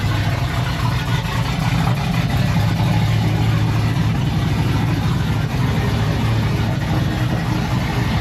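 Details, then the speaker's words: Chevrolet Silverado that sat almost two years, idling while warming up, recorded with the rear microphone: a steady, deep, loud exhaust rumble with no misses or knocks. It is too loud, and a resonator may be needed to quiet it. "a little too loud we might have to put a resonator on it quiet it down"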